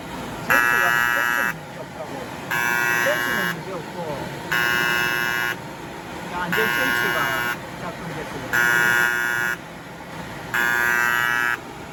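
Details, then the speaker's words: Kyungdong Navien agricultural produce dryer: six even one-second beeps, one every two seconds, overheat alarm code E-1 from the tripped bimetal temperature safety switch, which won't reset; sensor is fine. "이건 애가 우는 거야. 애가 우는. 이 가열되면은 이게 안전 스위치가 이게 작동이 됐다는 거야 지금."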